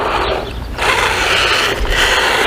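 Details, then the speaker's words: XLF X04a brushless RC truck with a rear-mounted motor. Harsh uneven rattling chatter comes in under throttle and load; stripped gears ratcheting and slipping. "It's a shame because it looks well built otherwise, and it's got pretty decent parts, but yeah, the gears are just shot already, and it's just going to continue to get worse and worse."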